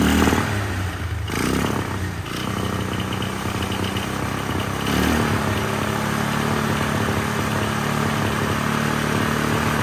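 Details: 1999 Polaris Sportsman 500 single-cylinder ATV after fuel pump replacement, first start on temporary tank without airbox: lumpy, uneven stumbling run instead of clean idle; rough running, carburetor adjustment planned, cause unconfirmed.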